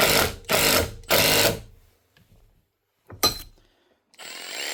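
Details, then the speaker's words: Milwaukee M18FID2 impact driver from 2021, clicky, clamped in a vise: three rough hammering bursts with a harsh gritty rasp; it still impacts, and grit caked on the gearbox teeth was snagging and causing the noise. "The other problem could just be the grit and dirt on this gearbox, because that is well caked on there now. Yes, that's what I was actually snagging on and making the noise."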